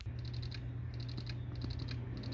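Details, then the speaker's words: PS4 Slim booting with cover back on: quiet repeated ticking in short bursts over a low hum, looping at boot; owner suspects it's the hard disk drive, not the disc drive, failing ("cannot access system storage"). "it's making that noise again which i am starting to think that's not a disk drive i think that is the hard disk drive"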